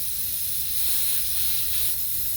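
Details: 2006 Honda Odyssey flat tire: a steady, sharp hiss of air escaping past the tire valve core, with no rhythm and nothing underneath it; the valve core is the leak source.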